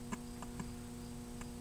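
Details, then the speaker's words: 1966 Zenith 25X4529 TV (chassis 25NC3B), stored for years in a garage, brought up near line voltage: sharp, irregular ticks over mains hum as current jumps to about 10. A short is suspected, with a faulty 6JS6 horizontal output tube also suspected. "I'm hearing a sound that I don't like over here that sound and it's drawing current when it does"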